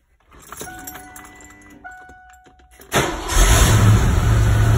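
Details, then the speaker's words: 1987 Ford Mustang Fox body 5.0 V8 with new battery and little coolant, heard in the engine bay: keys rattle, brief crank, catches at once and settles to a strong steady idle, not cutting out; starts healthy. "Yeah. It's idling good, it's not cutting out."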